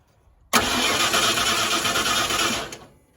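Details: 1994 Ford F150 5.0 with intermittent crank-no-start, caught in the morning; starter spins the engine evenly for about two seconds without firing, and a spark tester shows no spark, with the distributor PIP sensor and fender-mounted module to be tested.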